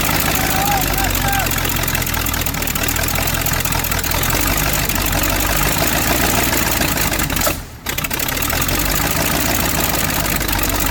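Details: V8 Chevy in a Curtiss P6E replica biplane, unrun for 22 years, after timing and carburetor adjustments. A loud, steady, rough roar with no misfire or break in rhythm; it is running evenly.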